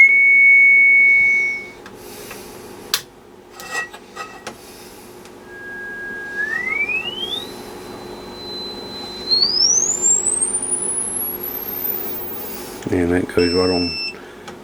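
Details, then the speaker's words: Restored 1952 HP 200AB audio oscillator on the x200 range, amplitude maxed, played through a speaker; pure steady tone climbs smoothly in steps toward the top of hearing, clean with no warble; normal oscillator tone. "Okay, I got a speaker connected so we can actually hear the tone. So if you got headphones on, you might want to turn your volume down a bit."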